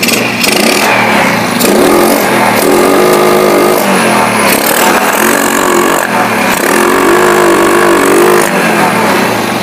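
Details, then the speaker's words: Yamaha Jupiter Z after the carburetor, needle and fuel hose were refitted and the spark plug reinstalled: idle is fine, but it still stumbles and backfires through the exhaust when throttle opens at mid-to-high rpm. Ignition is to be checked next. "Ya, di sini motor tetap nembak-nembak. Permasalahannya tetap seperti yang sebelumnya."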